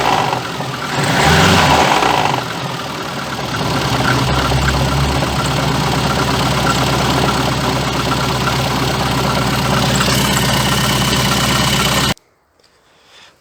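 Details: VAZ 2114 engine, knock for three days, vibration when dropping from 2000-3000 rpm: revved and released, loose fast clatter follows engine speed; crankshaft damper pulley found cracked with play, needs replacement.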